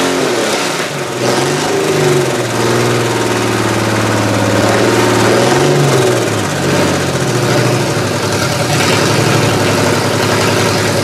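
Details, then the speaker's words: GM 3100 V6 swapped into a Camry (demolition derby build), first start-up with jury-rigged wiring, vacuum leaks present: uneven, lumpy running with stumbling beat and wandering revs; owner suspects cylinder two not firing, possibly coil pack, and fuel is very old. "there's some big vacuum links but cylinder number two which it is I'm pretty sure it's this one 3d pretty sure it's this one you're not firing"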